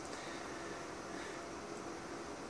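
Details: ViewSonic Pro8200 projector, ceiling-mounted: a steady airy cooling-fan hiss runs on during the power-down cycle after the lamp cuts out. The lamp only shuts off in the ceiling position; a short is suspected and the bulb is fine.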